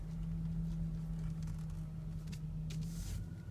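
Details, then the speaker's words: Engine idling with steady low power steering pump whine while wheel is turned lock to lock with reservoir cap off to bleed trapped air; whine attributed to air in lines, possibly from low fluid, system has no bleeder valve. "the way to the left and then still hear a little bit of a whining noise as we're getting that air out of there and a lot of times when you do hear that whining noise with your power-steering most of the time it's because of air in the lines either because the fluid levels are too low or there's just air in there maybe"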